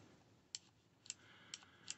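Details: Masterclip Hunter horse clippers after repairing a switch fault caused by a slightly misplaced PCB: four crisp, sharp clicks about half a second apart in a quiet room; switch clicking cleanly and working.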